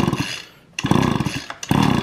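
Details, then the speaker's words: Echo string trimmer, two-stroke, not started over winter: repeated recoil pulls spin it over in bursts but it never fires; no spark seen at the plug, failed ignition coil. "I don't see any spark on there at all"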